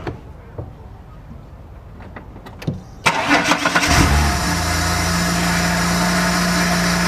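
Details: VN Commodore burnout project car just fitted with aftermarket intake pipe and pod air filter: brief crank, catches with a quick rev, settles to steady even idle; normal start, owner says intake sounds supercharged.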